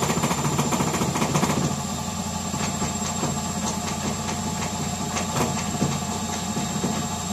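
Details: Gorenje WaveActive washing machine drum spinning: deep heavy rumble with uneven thumps three to four a second, machine jumping; broken drum bearings.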